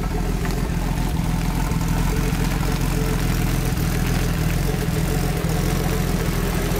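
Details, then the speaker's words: Rebuilt Nissan RB25 with newly fitted HKS Super Turbo exhaust, on its first drive: deep, loud, steady rumble with an odd, uneven low note; the turbo sounds weird to the owner. A boost leak was found and sorted the next day; cause otherwise unclear. "Turo sounds kind of weird I don't remember it sound like that here he comes these sounds kind of weird"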